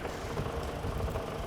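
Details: Old Mercedes-Benz W124 revived after long standing: steady, even low idle with no misses, knocks or hunting; the engine runs smoothly.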